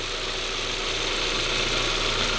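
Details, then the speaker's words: 1998 Volkswagen Passat B5, about 480,000 km, idle on first start after oil change with Polytron added: light fast metallic rattle over steady run, unchanged; source unconfirmed, owner hopes it may go away after driving. "чуєте цей звук ну покатаюсь подивлюся можливо пропаде зовсім"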